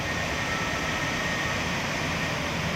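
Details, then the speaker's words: AC unit before cleaning: loud, steady rushing air at the return vent, strained and hissy, as the unit struggles with restricted airflow from a dust-clogged return air filter; noise to be compared after cleaning. "We're going to compare the same noise at the end once it's cleaned."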